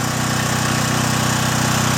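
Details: John Deere/Briggs & Stratton generator after carburetor cleaning, load removed: steady even drone with constant pitch, no hunting or surging, settling cleanly at unloaded speed; normal no-load running.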